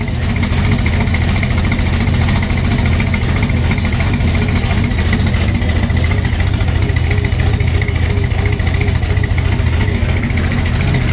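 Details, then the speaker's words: Supercharged hot rod on first run after new fuel system and Holley Super Sniper EFI install, owner says it's out of time but runs: loud deep uneven lumpy idle around ninety beats a minute; rough idle. "out of time however it runs"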